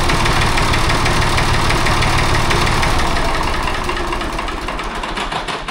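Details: Restored David Brown 880 tractor diesel, started on a jump pack (small battery, broken earth cable clamped): catches and settles into a steady, even idle clatter with a regular beat; normal start-up and healthy idle.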